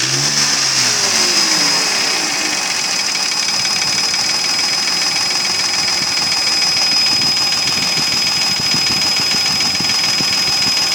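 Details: Mercedes ML320 V6 (M112 3.2) at about 300,000 km running steadily: loose, fairly regular hollow knock about three per second, unchanged by replaced bearings, chain, tensioner, camshafts and lifters; scored bores letting pistons slap.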